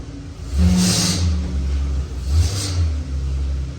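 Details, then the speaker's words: 2015 Ram 1500 V8 after replacing the cylinder 5 ignition coil with a used one for a jerking and misfire complaint: two clean throttle blips rising and falling smoothly with no stumble; misfire fixed. "it's not missing feels good"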